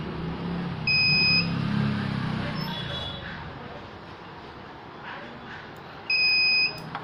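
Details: Microtek hybrid inverter under repair: two half-second high-pitched beeps about five seconds apart over a quiet room; the inverter is alarming, cause not yet known.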